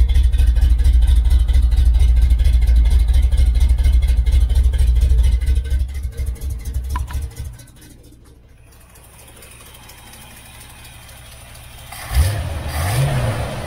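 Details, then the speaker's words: Restored 1969 Chevelle Malibu V8 running with exhaust shown, before paint: deep loud even rumble for several seconds, then fading; owner says it runs great. "uh we're going to start it up it runs great"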